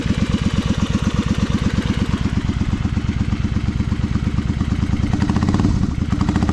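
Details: Honda V-twin Magna 250 (MC29), 17,810 km, drag pipes: steady loping idle with even low exhaust pulses, no knocks or ticks; engine sounds healthy.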